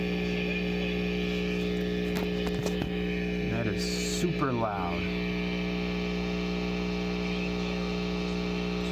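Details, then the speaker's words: Farfisa O.R. 200 amplifier during a reverb-tank shielding experiment, turned up loud: steady mains hum with faint whistling radio-station chatter on top; radio interference pickup, source only suspected. "let me see if I can turn this up without destroying your ears it sounds like radio stations"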